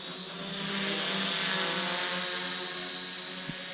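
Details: RC136FGS brushless GPS quadcopter just after takeoff: steady, even buzz of four props holding constant pitch with no wavering or rattles; healthy, stable hover.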